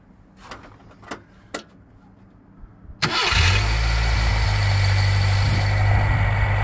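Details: Nissan K10 Micra after auto choke adjustment, cold start: after a few clicks catches at once and settles into steady, slightly raised even idle, no misses; normal cold fast idle.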